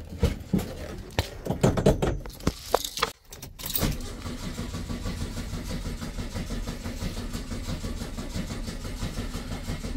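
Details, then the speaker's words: Beetle after carburettor tapping: starter cranks steadily for several seconds but never fires, no start; owner expects to pull the carburettor to fix it, cause unconfirmed. "okay apparently not today so that might be the job for this afternoon some time if it starts I'll uh come back I guess"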